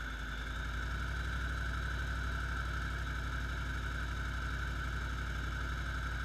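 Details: 2008 Jeep SRT8 (Vortech) in drive under load at 1200–1800 rpm: faint steady ticking about four per second over the rumble, gone in park or neutral, louder from underneath, barely heard under the hood; cause unknown.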